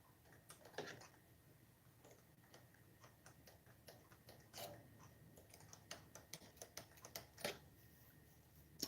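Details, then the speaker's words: Redcat Racing Tornado RC car after drag racing, driveline turned by hand; faint irregular ticks, owner suspects one dog bone with more slop than the other side clicking in its cup, not confirmed. "this dog bone right here appears to have a lot more slop in it than the other side. See what I'm saying? Like, see how you can hear it? It's got a definite click."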